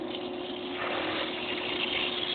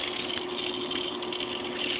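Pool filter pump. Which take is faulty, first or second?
first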